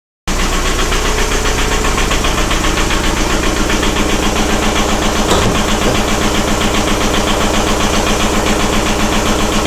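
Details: 1999.5 VW Jetta with ALH diesel idling with a loud, hard, rapid knock and uneven shaking rhythm that just started; cause unknown.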